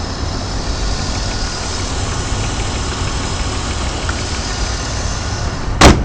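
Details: BMW 323Ci, 22X,XXX+ miles: a thin, steady high-pitched whine over idle, also present when revving and driving. At idle it stops with the clutch pushed in; the transmission clanks when shifting and tapping the gas. Recent onset, no performance loss, cause unidentified.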